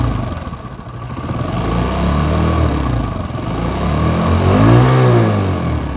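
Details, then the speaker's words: Hero Splendor first-model motorcycle, harsh noise persisting despite prior repairs: small single revving up and down with a harsh, uneven metallic rattle over the exhaust beat, traced to a worn oil pump. "আশা করি বুঝতেছেন, engine থেকে খ্যাস খ্যাস খ্যাস খ্যাস sound আসতেছে।"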